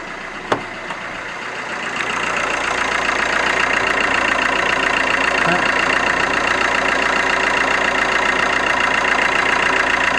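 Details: Alfa Romeo MiTo 1.3 JTDm multijet diesel restarted after a fuel filter change and priming with ignition cycles, no leaks: after the start clatter it settles to an even, steady diesel idle with no misses or hunting, running normally.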